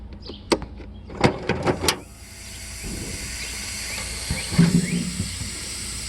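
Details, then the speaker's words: Mercedes 600SEL trunk soft-close system: a few clunks as the trunk shuts, then a steady hiss over the pump's run; the soft-close actuator is leaking air badly and needs replacing. "The soft close on the trunk is leaking. The handle is alright, but there is an actuator."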